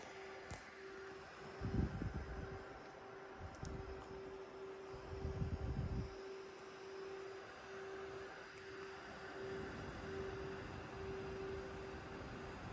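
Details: A thin, steady high-pitched whistle that drops in and out over a soft fan whir, with some knocking, from a GPU; the owner suspects the left fan but says it may be coil whine.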